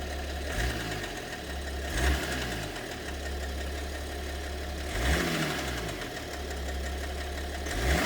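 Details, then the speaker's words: BMW 730d with M57 (306D3) diesel at idle, mysterious knock: sharp knock every two to three seconds, uneven in timing, over steady clatter. Owner suspects possibly two cylinders involved; source unclear. "Вот цокот появляется. Может, с двумя цилиндрами даже проблема."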